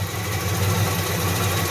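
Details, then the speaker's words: 1985 Firebird idling during coolant troubleshooting, reading 178; light, fast ticking over the idle rumble that keeps pace with engine speed. Owner hears valve tick on both sides and sees oil around the injectors, suspecting a head leak (new head gasket). "178 I can hear the valve tick more it's I it's sounds like it's here a bit on this side I think I've got valve tick on both sides"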